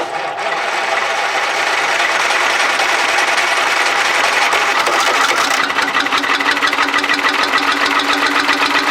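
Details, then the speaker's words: Allis Chalmers bulldozer with Detroit Diesel two-stroke engine, first start after sitting about 20 years: steady, even diesel clatter with a fast regular beat, no misses or knocks; running normally. "I won't cut it off just yet but see if she'll go again mate I think it's it's it's doing it what it should really yeah"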